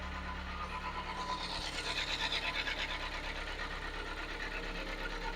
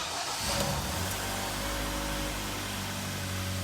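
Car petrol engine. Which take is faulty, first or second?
first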